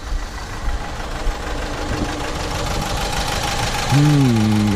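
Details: Renault Master van, fairly new (71 plate), in limp mode, turbo smoking and passing oil: diesel idle with a loose intermittent knock about twice a second; codes show cylinder 4 injector signal anomaly, cause not yet confirmed.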